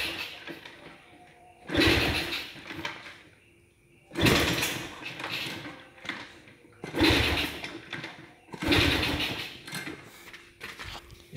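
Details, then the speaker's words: Motorcycle that stalled after riding through water and won't restart: four cranking bursts of about two seconds, each failing to catch; turns over but won't start, spark plug check next, cause not confirmed. "motor nggak mau hidup ya kita coba cek businya"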